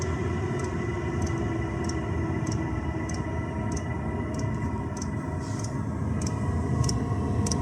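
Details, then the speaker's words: 2 kW Chinese diesel heater turned right down to minimum setting during fuel test, hot; crisp light dosing pump ticks about every 0.6 seconds over low fan rumble; pump working normally. "That's the pump. Almost on tick over."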